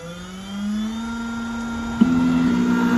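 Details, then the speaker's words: Triton Plus key machine cutting a genuine Hyundai blade, harder than aftermarket, at slowed cutting speed: steady motor whir climbing slightly, then higher cutting note as blade bites; normal cutting at reduced speed. "Here's where we slow down the cutting. This is a genuine Hyundai blade, and they're a lot harder."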